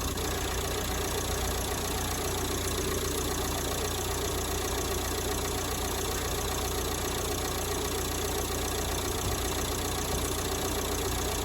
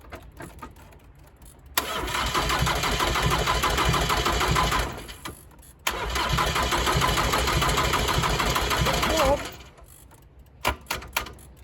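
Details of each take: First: 1990s Ford Transit Mk5 2.5 DI turbo diesel, started after years sitting abandoned: uneven, ragged clatter with a loose, irregular beat, barely catching and struggling to stay running; hard starting and rough running. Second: 1990s Ford Transit Mk5 2.5 DI turbo diesel, long sitting abandoned with no exhaust and no water: brief crank, then even clatter, stops and restarts just as readily; easy, normal diesel start.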